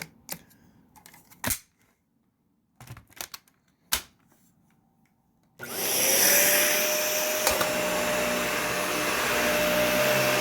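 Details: Animal 1-type vacuum, clean, filter still like new despite a lot of use: after handling clicks the motor spins up to a harsh rushing roar with a steady mid-pitch tone; the motor sounds really bad, cause unknown.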